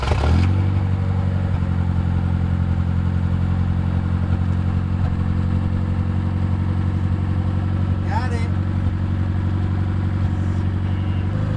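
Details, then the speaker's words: Junkyard Nissan S12, first start after timing belt replacement, cleaned injectors and simplified vacuum lines, idle air control valve removed: steady but fast idle that never drops; high idle, owner suspects the missing idle air control valve. "Idle does seem a little high. We took out the idle air control valve. I think we might need to put that back in."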